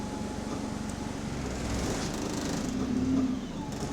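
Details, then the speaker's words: Diesel bus SLN 36537 on route 124 in motion: a rapid, regular clocking knock that quickens as the engine revs, following engine speed; cause unknown. "Oh, it's affected by the engine speed. You hear it get quicker as the engine revs up."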